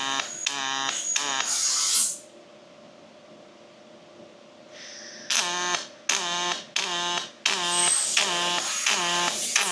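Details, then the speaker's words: Fronius robotic MIG welder: crackling arc bursts of a second or two, a quiet pause, then shorter choppy bursts; vertical-down and horizontal joints use different programmed speed, wire feed rate and amperage, horizontal taking more heat, so they sound different; normal operation. "you can actually hear the sound difference. So the vertical down is programmed at a different speed and a different feed rate than or temperature, right? Like different amperage than the horizontal."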